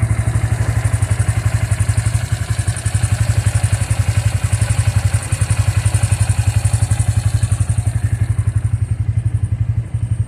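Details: Bajaj engine at steady idle after the workshop opened the engine: heavy, regular thumping clatter of nearly four beats a second; abnormal engine noise, cause unclear.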